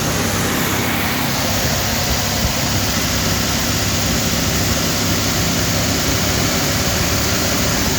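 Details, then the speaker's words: Rebuilt Ford 302 Windsor V8 with new Melling camshaft and new exhaust, fast idle about 1500–2000 rpm for cam break-in, warm with good water temp and oil pressure, choke held open by screwdriver. Loud, steady roar, no knocks, misses or ticks: normal high idle. "The idle up a little more to break it in. I just got that flathead sitting in there to hold that choke open."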